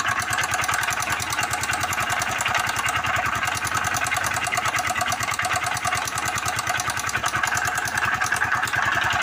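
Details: Motorcycle engine at idle with fast, sharp, evenly spaced metallic tapping over it; engine knock, connecting rod suspected.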